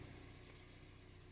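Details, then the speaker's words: 2012 Hyundai Elantra at idle while the steering wheel turns; the creak on turning, attributed to the ball joint (rótula), is gone after the repair, with a soft steady idle and no creak or clunk. Steering is now quiet. "ahí se le quitó el ruido miren nada de ruido así que comprobadísimo efectivamente"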